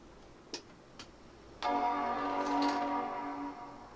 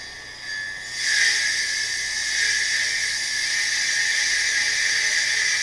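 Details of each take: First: Power Mac 7200/75 booting from BlueSCSI instead of original hard drive: two faint clicks, then clear startup chime over near silence with no drive whir or clatter; clean quiet boot. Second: Hard drive refitted in a Power Mac 7200/75 running Mac OS 8.1: a loud, harsh hissing grind rises at power-on and holds steady like a buzzsaw; the drive is failing but still functions.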